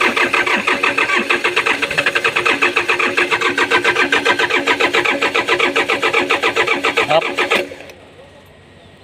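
Starter grinds the engine over in a fast, steady rhythm for about eight seconds without it firing, then stops; a hard-starting diesel.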